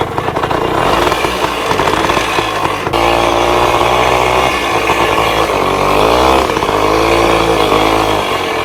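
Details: 1966 Bultaco Lobito two-stroke motorcycle after yearly storage: crisp buzzy note holding idle and rising with short throttle blips, clean as it warms; normal two-stroke idle.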